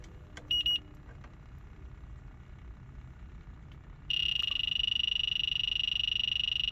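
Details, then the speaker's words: Walk-in freezer low on refrigerant: leak detector's high rapid beeping, about three and a half beeps a second, over faint room hum; refrigerant leak found at a valve core (pin valve). "do you hear this sound this sound means we have a leak see we have a leak here"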